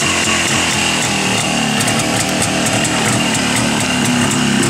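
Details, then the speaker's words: Jawa two-stroke motorcycle just started after opening the fuel tap: an even, rapid burble with a steady airy hiss from the carburettor, which is said to indicate correct carburettor and piston function. No misses or knocks; healthy running. "вот это вот шипение, это происходит в самом карбюраторе тогда, когда все правильно, в поршневой все организовано."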